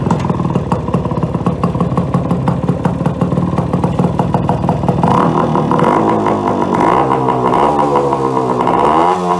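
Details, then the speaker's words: 1974 Yamaha RS100 two-stroke with custom welded loud exhaust pipe, revving: raspy crackle with uneven surging revs, bogging and not accelerating properly past half throttle; owner suspects the reed valves between carburetor and cylinder. "but i need more than half throttle and it's not accelerating properly i'm not and i'm suspecting my reed valves which are underneath the carburetor between the carburetor and the cylinder head"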